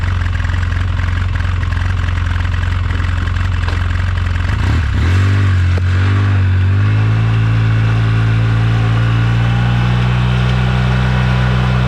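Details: 2009 Polaris RZR 800 S: steady low engine drone with loose irregular clatter about three a second as revs rise, from the rear end; owner suspects differential, pinion nut or CV joints/axles, unconfirmed.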